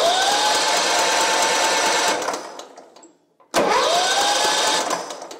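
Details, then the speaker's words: Simplicity Regent mower with a 14hp Kohler Command engine, spark confirmed and fuel pump seemingly working: starter whirs steadily for two seconds, stops, then cranks again with no firing. Cranks but won't start; suspected flooded. "so good that uh that is probably flooded like crazy"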